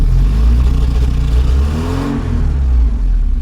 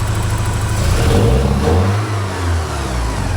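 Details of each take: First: 1984 Porsche 944 NA being tuned with exhaust gas analyzer, fuel pressure about 30 PSI: engine hiccups and surges around 1300 RPM then smooths out; owner suspects fuel delivery issue, unconfirmed. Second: 1984 Porsche 944 NA with wideband O2 sensor fitted: engine picks up briskly on a blip and settles cleanly, no stumble; acceleration much snappier, owner suspects idle air control valve leaning mixture; some white smoke after sitting.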